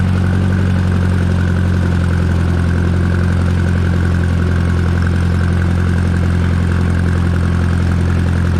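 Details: Minneapolis Moline JetStar 3 Super tractor pulling a bush hog while mowing pasture: deep, steady, even drone at constant pitch; the engine runs healthy under load.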